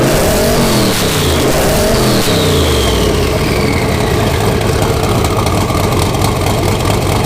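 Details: 331 ci small block Ford, AFR aluminum heads, Quicktime turbo kit with eBay 7875 turbo, first run of muffler test before fitting exhaust; loud lumpy cam-chop idle, sharp revs with turbo whoosh, no ticking exhaust leak. Healthy.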